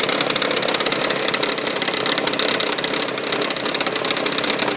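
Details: 1999 Toyota Sienna idling after start-up with busy uneven tapping about three per second, like something hitting the valve cover; began after six NGK iridium plugs and oil change; also heard around 2300 rpm driving.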